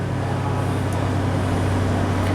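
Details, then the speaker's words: 1996 Toyota 4Runner V6, 235k miles, fully warmed up, no codes: steady, even but fast idle around 1300 rpm when it should be lower. "about 50% it's idling at about 1300 rpm all the time it's fully warmed up should be less"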